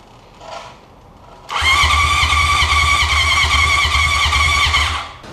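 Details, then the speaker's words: 1980 Honda CB750 sat 35 years in impound: about three seconds of brisk, even starter cranking with no firing; no spark, owner suspects bad coils or ignition switch position. "all right so we're not getting any spark all right so we just cranked it over there's no spark"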